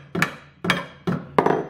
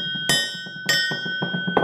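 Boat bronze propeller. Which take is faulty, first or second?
first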